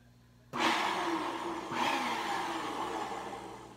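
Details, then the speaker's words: Bissell PowerForce Helix 1240 upright vacuum: the motor winds up to a loud rushing roar with a rough, uneven whirr under it; worn brush roll that needs replacing very soon. "that brush roller does not sound the best so it will need a brush roller in it eventually"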